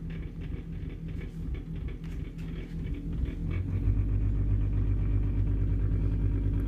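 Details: Bosch SMU63N25EU/B3 dishwasher: low hum grows into steady droning rumble as if pump runs without drawing water; owner suspects solenoid valves, unconfirmed; water does come in and it runs clean after 2-3 cycles, no error shown; pump running without water intake.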